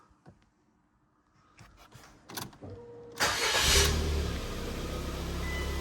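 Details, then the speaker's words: Car started using a Trekure TK50 portable jump starter pack without pressing boost: short crank, then the engine catches at once and settles into a steady, even idle; normal crank and start. "So, straight up, no problem, no issues, just cranked it straight over."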